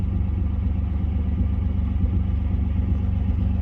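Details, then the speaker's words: Nissan 200SX S12 after new Walbro 255 fuel pump: low, even idle rumble with steady beat, no stumbles or misses, less missy than before; healthy. "Idling sounds good. Not as missy as it used to be."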